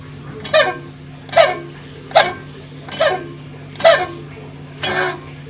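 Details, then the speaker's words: Freezer with loud mouse-like squeak about once a second over a steady low hum; dirty blower fan housing causing rubbing, blower to be replaced. "eh posing di dalam ini udah kotor ya jadi dia seperti ada pergesekan ya jadi berbunyi seperti tikus ya thread-thread seperti itu ya tapi bunyinya besar ya"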